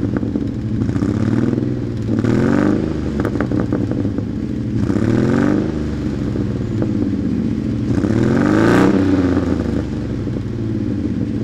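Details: 1997 Dodge Ram 1500: rough, uneven clattering with stumbling beats through each rev, a severe misfire with no check engine light; cause unknown.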